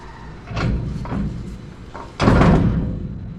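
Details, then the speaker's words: 1963 Chevrolet C10, rear axle turned by hand after U-joints and driveshaft were suspected and ruled out: two heavy, dull clunks a second apart, pointing to looseness inside the rear end; to be disassembled. "I don't I don't think ready I don't think it's supposed to make this noise I'm going to pull it apart and find out yeah I have no rear end expert but something's not right here"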